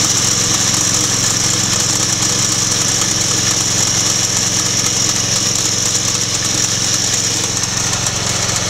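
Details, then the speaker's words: 26 hp Briggs & Stratton Intek V-twin (445877-0760-E1) running: high steady squealing hiss over the engine chatter; owner suspects the bouncing drive belt tensioner pulley or an old, hard belt. "it makes a hell of a noise when it's uh running and I think it's the it's hey the drive belt pulley right there uh tensioner it just bounces back and forth"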